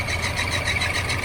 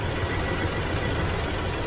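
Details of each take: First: 1981 Chevrolet Silverado V8 at idle after power steering pump work: rapid warbling high chirp pulsing several times a second, belt squawk from a wobbling pulley; suspects harmonic balancer, AC compressor or alternator, and notes timing off. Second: 1981 Chevrolet Silverado V8 after replacing warped harmonic balancer/pulley to cure belt squawk and slightly adjusting timing: steady even idle with low smooth rumble, no squawk or chirp; healthy.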